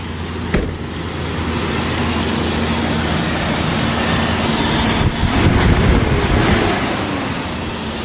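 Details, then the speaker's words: 2003 Ford Explorer 4.0 V6 first start after timing chain repair, fuel injection fuse refitted: engine catches and settles into a steady, even idle with no ticking, rattle or stumble; smooth and healthy. "fingers crossed [Music] foreign she's smooth"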